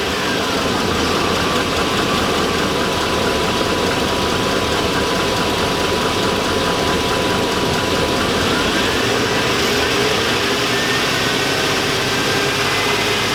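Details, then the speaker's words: 2002 Chevy Avalanche 5.3L V8, about 217,000 miles: steady running with dense, rapid knocking under the drone, louder as rpm rises, audible in cab at just over 2,000 rpm; owner suspects rod knock, low by the oil pan, getting worse. "yeah that's Rob knock who can hear it the hybrid rpms go the louder it gets"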